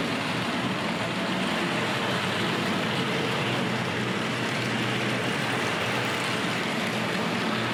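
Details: Tri-ang RS.2 set, R.258 Princess Royal loco on Series 3 track, power turned up: even, continuous whirring rumble with no stutters or dropouts, running smoothly around the track, an improvement.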